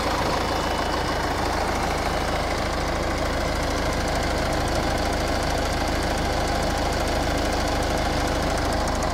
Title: Ford Kuga engine bay clicking sound.